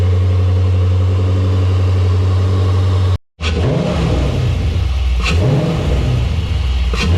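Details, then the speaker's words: Vehicle after cleaning and drying reusable cold air intake filter, run with filter housing removed: fires after short silence, then blips up and down with deep, clear intake growl, no rattles; healthy. "And before I put the housing and everything back together, I really want to hear how this sounds without the housing, so let's check it out."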